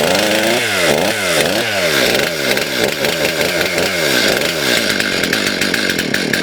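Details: STIHL MS291 chainsaw after turning the carburetor adjusting screws out too far: revs up and down with a soft burbling uneven note and no crisp top-end scream. Running too rich; L and idle screws to be turned in.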